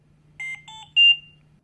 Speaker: hear three beeps in a repeating pattern and the audio pause button flashes yellow medium priority alarms require prompt attention